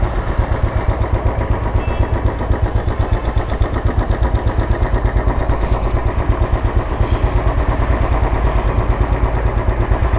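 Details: 2013 Royal Enfield Classic 500, fuel-injected and stock ECM, on a ride after repair: it had a misfire because one of its two spark plugs was dead and the other weak. Deep steady single-cylinder thump, no skipped pulses. Normal running.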